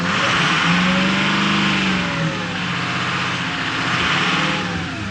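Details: 2006 Ford F-550 6.0L Powerstroke diesel, free rev after a blue spring kit fuel pressure regulator repair, pyrometer just over 200 degrees, warming up. A steady turbocharger whistle sits over the diesel clatter as revs rise and settle; normal.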